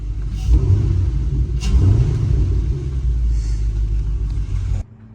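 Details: 2010–2014 fifth-gen Camaro with cylinder 2 misfire (P0302, P0202, injector circuit open): deep, lumpy rumble with an uneven beat, a cylinder misfiring from a failed fuel injector.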